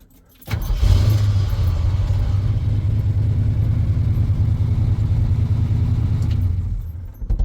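Engine catches and settles into a steady, even low rumble with no misses or knocks; running normally and charging fine now.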